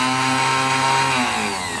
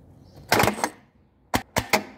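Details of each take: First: Fiat Premio 1991 starter motor under test, with battery positive applied directly to the brushes: a smooth, steady high-pitched whir that winds down evenly. The motor spins freely and is healthy. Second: Fiat Premio 1991 starter with positive jumped to terminal 50: sharp dry tec-tec clicks in quick bursts, with no motor spin or cranking. Faulty starter solenoid.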